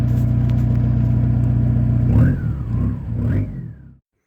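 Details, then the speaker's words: Turbocharged car after a highway trip: loud deep droning rumble at idle swelling with throttle blips, turbo audible; broken exhaust pipe leaking. "Oh yeah, that's loud and obnoxious. You hear the turbo, but a lot better, but you can also hear all the other droning noise, which gets on your nerves afte"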